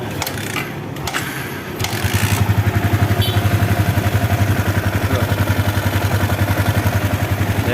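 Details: Yamaha New Vixion Lightning (NVL), first start after rocker arm repair and cam chain timing reset, covers still off: engine catches and settles into an even, steady idle with no top-end ticking or clatter.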